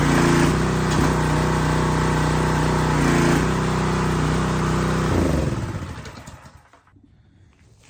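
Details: New Husqvarna pressure washer small engine, restarted after initial run: steady, even drone for about five seconds, then winds down smoothly to a stop; runs cleanly with no misfires.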